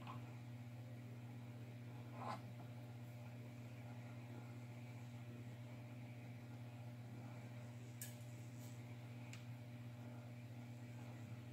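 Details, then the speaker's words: DIY spot welder on 20 gauge sheet metal, aluminum leads: steady low mains hum with faint buzz, no weld crackle; owner says it's not supplying enough current and the sheets won't weld. "see it's not working I don't understand what I don't it's not supplying enough current"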